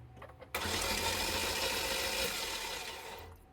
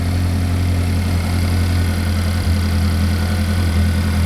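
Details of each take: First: Chevy Equinox cranking: even rushing whir faster than normal cranking with no compression chuffs, as if only the starter were turning; valve cover off reveals a loose timing chain and lost compression. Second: Chevy Equinox after an engine replacement, first start-up: deep, even hum at steady idle, no knocks, misses or ticks. Engine sounds healthy; some smoke is blamed on stuff on the hot engine.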